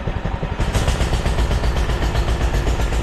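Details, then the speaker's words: Doodle Bug DB30 minibike with a newly fitted carburetor, while the carb screw is being adjusted: the single putters unevenly, beats bunching and dropping out, stumbling and running rough; it won't take choke. "she is not happy oh she's following through it I guess she's a putter he ran before"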